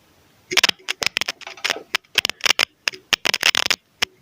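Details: Audio cable (XLR/TS/TRS/RCA type) connected between a microphone and audio equipment and shaken along its length: sharp, irregular crackles and pops from a false contact inside. Finding: audio cable crackle from intermittent contact.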